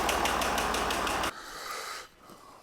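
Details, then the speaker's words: 2006 Jaguar XF 3.0 TD V6 diesel with a customer-reported engine tapping, heard through a piezo pickup. Sharp regular taps at about five or six per second repeat between each injector trigger. Cylinder not yet identified. Engine tapping noise. "And as you can see, there's a repetitive increase in noise, should we say, from the engine."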